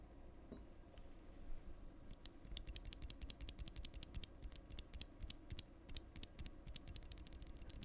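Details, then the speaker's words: Stock switch on a Hex.4B Dreamcore Edition keyboard, recorded with the gain raised: sharp clicky keystrokes, each followed by a faint hollow metallic ping; the owner suspects the leaf, which is not confirmed. "You guys hear that hollow pinging sound? I do not like that sound. This is a stock switch."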